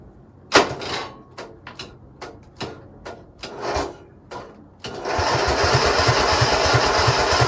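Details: Craftsman GT6000 garden tractor at 26°F; several failed tries with uneven thumps, then rough pulsing run only at full to 3/4 choke, stalls past half; owner suspects gas left in carburetor all year, plans fuel shutoff and carb clean.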